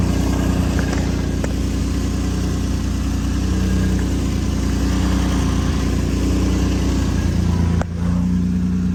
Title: Exhaust leak?